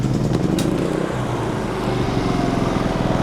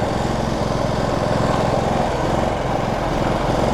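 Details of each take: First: Generac GP3300i generator (model G0071532) after the repair: an ignition-circuit connector, found unplugged and unretained, was plugged in and secured. Restarted, it runs steady and even with a quick regular pulse, no misses; issue likely resolved. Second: Generac GP3300i inverter generator (model G0071532) that starts and runs well but won't shut off with the switch. The engine keeps a steady fast pulse without dying while the front panel is opened to find the switch.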